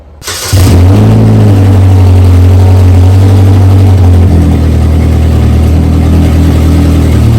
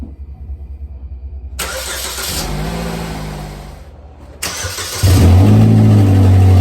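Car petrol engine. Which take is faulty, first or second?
first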